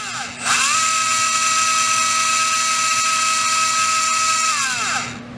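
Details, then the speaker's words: REDS Racing VX4 Pro Stock 17.5T brushless motor on an auto test, factory settings: clean high whine spins up, holds steady about four seconds, winds down smoothly, fairly quiet; about 1.5 amps, 2695 kV, 19.7 degrees timing; healthy. "Right now we'll do the auto test, see what it's sitting at from the factory. Fairly quiet."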